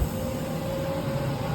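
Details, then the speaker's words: Laser cutter exhaust fan starting after the air and machine are switched on: steady low airy rumble with a faint constant tone, even and unchanging; fan spinning up and running normally. "and that fan start to blow"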